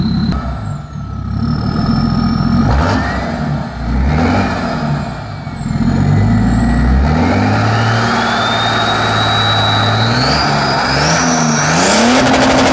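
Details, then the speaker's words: BMW 535d E60 diesel with full-tube exhaust: deep revs with a high whistle climbing and falling with the throttle like a jet taking off; normal turbo whistle, nothing wrong. "Je comprends pourquoi il disait l'avion là. Oh putain, on dirait que c'est un avion qui décolle."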